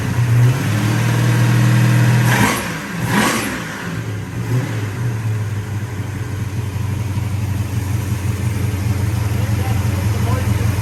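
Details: 1966 Pontiac GTO convertible V8: strong, even rev dropping back to a steady smooth idle with no misfire or stumble; sounds healthy.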